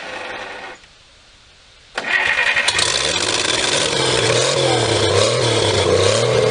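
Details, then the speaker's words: 1954 Pontiac 239 straight six revived after sitting for years, fuel bowl refilling: brief crank, then catches and settles into a slow, even idle with a steady low beat; warming up quickly, sounds healthy. "alive yes i love that sound nice and slow we don't want her to get too hot"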